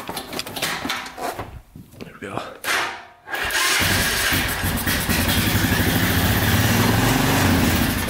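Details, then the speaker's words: 1999 Honda Foreman 450cc 4x4 ATV with 326 miles, neglected and started with gas poured in: a few cranks, then it revs high, runs loud and unsteady, and dies; fuel supply problem suspected, unconfirmed. "rubs high and dies so that's kind of what's going on with it"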